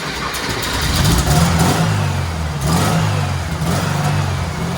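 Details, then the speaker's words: Turbo rat rod Porsche 930 with a new carb after sitting outside for months. A strong, even exhaust note swells with blips and settles cleanly: running well. "i'm so [ __ ] happy baby oh she runs finally it's actually running well too"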